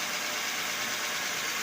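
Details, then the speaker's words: Nissan Sentra that knocked over humps and rough roads, after the bearing was repacked and the fan belt reset: steady, even engine hum with no clunks or knocks, so the noise is gone. "So wala ng tumutunog guys. Yan wala ng tumutunog. So kikita ninyo, papansin ninyo, naririnig ninyo, wala na siyang tumutunog."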